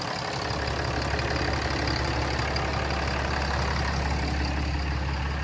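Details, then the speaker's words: 2011 Ram 5500 Cummins diesel after EGR and DPF removal with 2013-2018 cab-and-chassis kit, first start, no check engine lights, fan clutch wobbly: low steady clatter at even idle, no misses or knocks; normal diesel idle. "I'm gonna go ahead and fire it up and let you hear how it sounds. No check engine lights, which is always a good sign."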